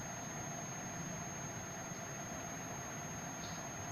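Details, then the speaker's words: Washing machine single-phase washer motor, meter probes across the running and starting terminals: steady unbroken high buzzer beep with faint hum beneath; continuity good, winding intact. "It's mean हमारे इसमें हमारी मोटर की जो है continuity okay है।"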